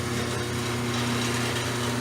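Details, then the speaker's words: Craftsman (Sears) 1/2 hp chain-drive garage door opener, made around 1996 (about 22 years old), poorly maintained: very loud, rough constant clatter and rattle of worn metal moving parts over a steady motor hum; noisy operation, worn out, due for replacement. "very very very very very noisy all the movement parts metal steel and as a result the freaking just word the opener and I think it's about time"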